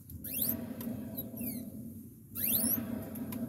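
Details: New 2021 Vitacci Clash 200 EFI scooter, under 80 miles: sharp rising squeaks from the rear wheel in bursts about two seconds apart over a low rumble; dry rear axle, stopped by lubing between axle rod and junction.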